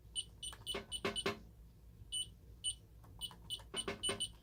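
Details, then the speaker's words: Ademco 6128 alarm keypad on a bench test, fire zone initiating device triggered: sharp high-pitched electronic beeps in quick irregular bursts in a quiet room, the fire zone alarm. "So anyway, let's go ahead and test out the initiating devices here. First we'll do the fire zone."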